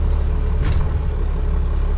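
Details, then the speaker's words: 1996 12-valve Cummins diesel in drive, idle falling from about 500 to about 200 rpm; slow, heavy, uneven thumping at very low revs, barely staying lit; idle set too low, suspected cause of hard starting. "This idle is so low, guys. Like this is terrible how bad this idle is."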